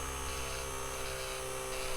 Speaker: and there's no bouncing it's just pure grinding quiet